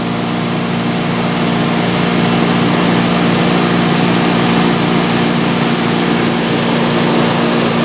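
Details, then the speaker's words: Vintage Westinghouse 5,000 BTU air conditioner, case installed, before thermostat replacement, compressor on, about 71°F ambient: loud steady hum with constant low tone, no clatter or cycling; compressor running smoothly and cooling. "Yep, it's getting cold. It actually distributes the air pretty evenly across this entire guard, which is a little surprising."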